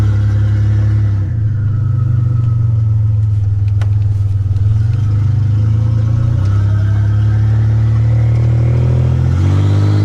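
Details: 1985 Nissan 300ZX Turbo (Z31) driving after new spark plugs and wires and replacing a torn intake/charge-pipe hose that caused a boost leak and misfiring under boost: loud exhaust pulls cleanly through rising revs and gear changes without cutting out; builds boost properly.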